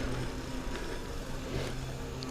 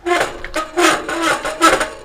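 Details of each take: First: Five-year-old mountain bike after fixing squealing disc brake pads believed to squeal from vibration: riding test braking front then rear, only low rolling rumble, no squeal. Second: Mountain bike disc brake, five years old but barely ridden with nearly new pads, gives short harsh squawks when braking; owner attributes it to the pads vibrating against the rotor. Disc brake squeal.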